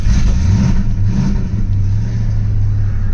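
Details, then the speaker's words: Mustang first fire-up after winter storage and new spark plugs, coil wire refitted: low, uneven run with rpm sagging and surging as it struggles to learn idle, then stalls; good oil pressure afterward. "I'll fire it up money that's gonna take a second to learn how to idle and she dies"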